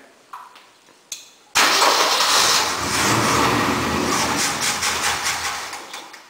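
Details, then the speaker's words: 352 engine, for a 1965 Mercury truck, testing whether its own fuel pump draws up fuel: short cranks, then catches and runs unevenly a few seconds before dying; it keeps stalling. "She keeps on stalling."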